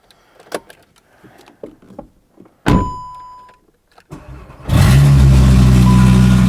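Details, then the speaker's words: Skoda Octavia vRS with Audi RS3 engine swap and DSG, first drive after refilling gearbox oil and bleeding brakes: after clunks it fires into a loud, raspy, uneven drone with deep burble, rally-car-like; loud rough running. "right brakes feel good honestly it sounds like a rally [Music] car"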